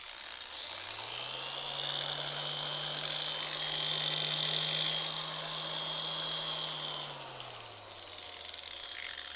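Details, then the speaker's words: Griot's Garage G8 mini random orbital polisher, 5 mm orbit: motor spins up to an even, steady whir, holds without wobble, rattle or vibration, then winds down smoothly. It is quiet and running normally. "and it sounds smooth there's really no vibration on this machine but then again it's only a five millimeter orbit"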